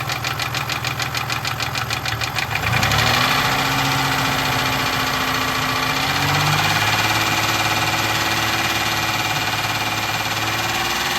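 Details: 1996 Toyota Tacoma 3.4 5VZ-FE V6 idling at low rpm with a steady deep knock about three or four times a second, rod knock, with very low oil pressure.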